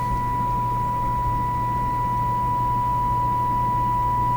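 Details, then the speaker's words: Clairtone console stereo FM section: a steady, pure test tone plays clean with only a faint low hum underneath after the FM discriminator/detector alignment was adjusted; the detector is aligned and plays properly. "So based on the sound, that sounds tuned in to me."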